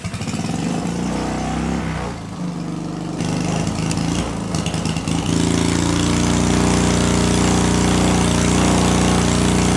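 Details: Small see-through turbo engine on EFI and gasoline, first anti-lag run (6,000 RPM limit, -30 to -26° timing), no load: stumbles and crackles, then rapid loud rough beat as turbo smokes burning off oil, making about 5 psi boost.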